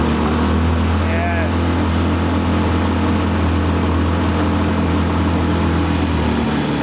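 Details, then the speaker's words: 15HP four-stroke outboard held at wide open throttle after about five minutes, warm, fuel pump rewired with a 10 A fuse: droning, ragged note that keeps missing; owner wonders about the coil. High-rpm misfire. "It's starting to miss. But it was definitely starting to miss. And that was after about, I don't know, five minutes of running, wide open throttle."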